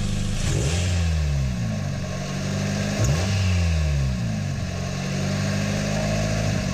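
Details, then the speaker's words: Small Korean-made sedan on good engine oil as the control test before an olive oil swap: clean throttle blips that climb and drop back smoothly to a steady idle, with no knocks or misses; it sounds perfect. "i think that's i think that sounds perfect so there's a great control test for you"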